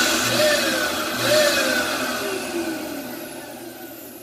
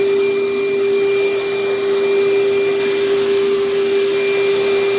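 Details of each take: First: Failing Dirt Devil vacuum motor, to be used for parts: a thin, high whine rides over the airflow rush, then fades as the motor runs down; very whiny and bad sounding. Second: Vacuum with good belt tension, minimal hair tangles, paper bag about a third full: steady even motor hum at a constant mid pitch, no rattles or speed changes; suction solid, strong airflow, running normally.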